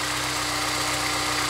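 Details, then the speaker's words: Honda S2000 after timing chain tensioner (TCT) replacement: smooth, steady idle hum with no tick on top before shutting off; much quieter, timing chain sounds healthy. "sounds a lot quieter I don't really hear any of the ticking noise anymore I mean anything just coming from the cell totally looks good again"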